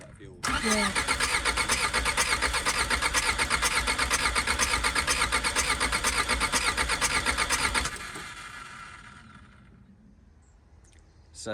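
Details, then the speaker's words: Long-dormant Skoda Favorit with fuel poured down the injection unit: steady, even cranking at about two beats a second for seven seconds. It tries to catch but never runs, seemingly running out of fuel. Cranks but won't start. "tried a bit of fuel down the injection unit there and it tries to catch on it really dries and then it runs out of fuel and it doesn't have anything to keep going so we've not got to a point where it's running but we are getting to a point where it's trying to fire"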